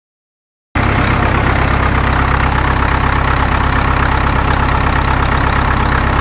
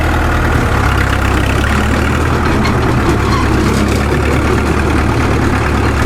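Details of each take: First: Caterpillar D2 #5J1113 diesel, engine not fully broken in, idling during a return-port injector test: steady idle with an occasional uneven pop; number 4 injector overflows its return port while the other three are fine, internal leakage. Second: Caterpillar D2 #5J1113 crawler tractor diesel after replacing the internally leaking number 3 injector: deep, steady thrum with an even beat, no pops or misses; pop gone, running cleanly.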